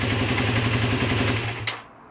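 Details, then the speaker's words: Honda CB250N Superdream twin after carb rework, mixtures set and carbs balanced: crisp rev with an even, rapid twin beat rising cleanly and falling away without stumbling; feels more responsive, normal throttle response. "definitely feels more responsive definitely taking over better"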